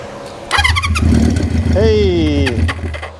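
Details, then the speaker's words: 1973 Honda CB350 Four with new condensers; the carburetor hasn't been cleaned and is likely clogged. It catches on starting fluid and revs briefly with a rising and falling note, then dies: fuel starvation suspected. "now I haven't taken the car ball for anything I know that's probably clogged up so and I'm almost out of starting Floyd"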